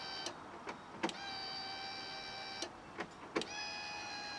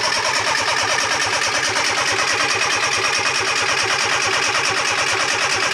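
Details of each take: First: Fiat Panda 4x4 project with engine problems and injectors not firing, ignition switched on: a few clicks, then a steady high buzz of even pitch for seconds as the fuel pump primes the injection rail normally. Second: Fiat Panda 4x4 project with swirl pot and newly filled injection rail, clutch pressed: steady rapid cranking about two beats a second that never catches, crank-no-start; smells very fuelly, owner suspects swirl pot needs topping up, injectors suspected not firing.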